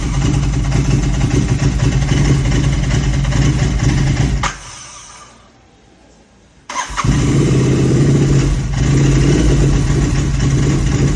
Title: Royal Enfield Gt 650 Idle issue. #royalenfield #gt650 #interceptor650 #idlingIssue #misfire